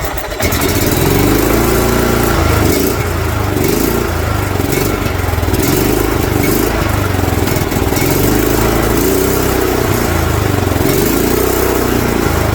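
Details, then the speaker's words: Kohler single-cylinder engine in a John Deere LT150 mower: runs loud and surges up and down, letting it be revved far higher than it should go; the internal governor has failed, causing over-revving, and needs replacing. "choke as you can tell it's allowing me to rev it way higher than it should and the higher it revs the more resistance to revving it will provide that Governor says no no no"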